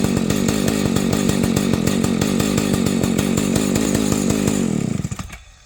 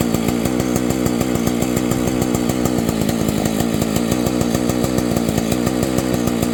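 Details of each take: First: Rebuilt vintage Husqvarna 285 chainsaw (replacement cases and cylinder): two-stroke starts easily and idles evenly, then falters and stalls within seconds, repeating after waiting; owner suspects an ignition problem. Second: Rebuilt vintage Husqvarna 285 chainsaw with replacement cases and cylinder, just after carburetor refit: two-stroke buzzes at a steady, even rate. It starts easily and idles, but later stalls; owner suspects ignition.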